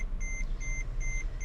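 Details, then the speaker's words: Mercedes, about $1000, after months sitting, engine codes and suspected dead alternator or battery: four evenly spaced high beeps about two and a half per second over a low hum; repeating warning chime, owner attributes it to the ABS, cause unknown. "You hear that? That's the ABS. I don't know why. It has its cycle fits."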